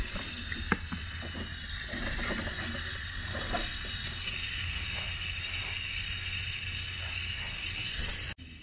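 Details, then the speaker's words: Hunter sprinkler valve leaking with the controller fully off: steady soft hiss of water flowing through to a sprinkler head. "so the water is flowing and you can probably hear the water still hissing"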